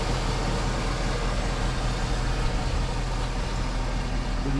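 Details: Cadillac Escalade bought via Facebook, started up following a breakdown on the Pennsylvania turnpike: low, steady idle with no knocks, ticks or hunting; engine idling smoothly and healthy.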